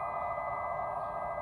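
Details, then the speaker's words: 2017 Chevy Volt in Drive at low speed, pedestrian alert system working; steady synthetic hum with a thin high whistle and no motor sound, the artificial warning noise, fuse F5 in trunk disables it. "now the car is in Drive and you can hear there's a noise coming from [Music] that's not the motor"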